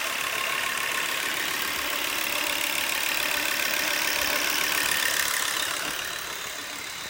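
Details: Volvo V70 2.5T at steady idle with a fairly regular light ticking about three to four times a second over the engine hum; source unclear.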